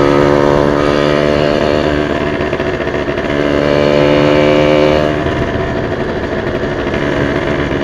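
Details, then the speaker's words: Yamaha V80 two-stroke with racing exhaust: raspy high-pitched buzz with slightly uneven rise and fall in revs; owner notes an odd engine sound, cause unconfirmed; unusual engine noise. "motornya kok suaranya tekan-tekan-tekan. Tak coba ya, kita coba ya."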